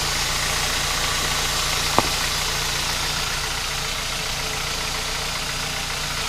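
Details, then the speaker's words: 2007 Kia Cee'd 1.6 petrol idling after alternator/accessory belt retensioned and belt spray applied to cure squeal: steady even idle with no squeal or chirp; belt quiet for now, may need replacing. "что работает осмотреть пока не скрипит на дальнейшее посмотрим"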